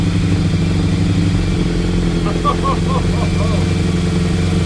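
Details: 1987 Yamaha FZR1000 four-cylinder, first start after 16 years unused, refurbished carbs, gravity-fed tank raised above carbs, easy start used: brief smoke, then steady deep idle with even exhaust beat, no knocks; healthy normal idle.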